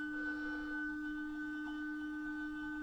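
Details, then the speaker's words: Motorhome fresh-water pump (Truma system) unused for years, tank previously dry, tap opened; steady high-pitched hum and vibration but no water coming through, suspected airlock or pump run dry and possibly ruined. "Seems to be making a noise now. But I can't see any water coming through here."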